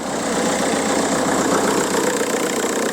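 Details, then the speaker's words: VW Golf Mk4 PD130 diesel after replacing injector loom and refitting EGR valve: even diesel clatter with steady beat, no misses or stumbles; smooth, healthy idle. "yeah loads healthier that look no healthier listen to that baby purr"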